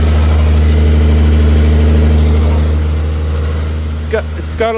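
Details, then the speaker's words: 1979 Toyota Cressida, carbureted, freshly started after a battery charge: steady idle with a light regular tick of about four per second over the exhaust note, coming from a small exhaust leak. "little bit of a leak there and and that's where that noise is coming from"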